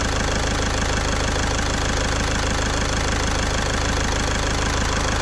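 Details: Caddy diesel after a week-long repair in which a stuck injector was removed with a slide-hammer puller kit: even, steady idle with regular light clatter at about two beats a second, no misses or knocks, nice and quiet. Normal idle.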